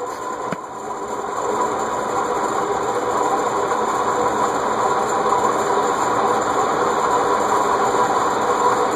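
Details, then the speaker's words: Circa-1991 cast-iron Heat Recovery Systems L-356 industrial ceiling fan, previously locked up and freed with WD-40, on high speed: steady rough whirring hiss with faint ringing; bearings still noisy despite WD-40, likely needing oiling or replacement. "it has been pretty thoroughly wd-40 so the fact that the bearings are still noisy is saying something"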